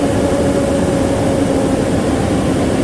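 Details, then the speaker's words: 2016 Nissan NV2500 V6 after fan clutch replacement, engine idling: strong, steady whooshing roar with no flutter; new fan clutch engaging and pulling air properly. "I would probably start it right now just so you guys can hear the difference with the working thing is all right"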